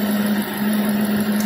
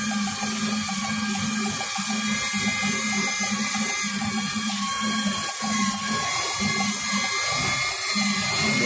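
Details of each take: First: Ford F250 that was shaking, misfiring and whistling like a pressure cooker, during a functional test with a hose covered by hand: steady, even idle hum, the earlier misfire gone, engine running evenly. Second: Ford F-250 V8 with a rough idle and a cylinder 7 misfire code: sharp, steady high-pitched whistle like a pressure cooker over a slightly uneven idle; covering a rear hose by hand stops the misfire, so a vacuum leak.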